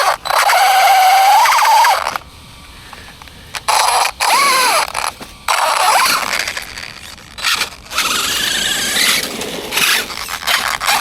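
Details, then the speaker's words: Arrma Granite 3S BLX RC car, centre diff looks okay but won't roll free: bursts of wavering metallic squeal with scraping grit each spin-up, then cutting out; afterwards lost power and won't wheelie. Owner suspects grit in the centre diff. "might just be grit in there. Might just be grit."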